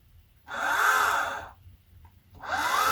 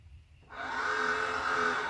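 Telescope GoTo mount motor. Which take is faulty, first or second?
second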